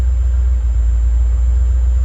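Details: 1988–1993 Ford Mustang V8 just started on a rebuilt A3M1 mass airflow computer: deep, smooth rumble with an even beat and no misses or surging, settling into a clean, steady idle; normal idle.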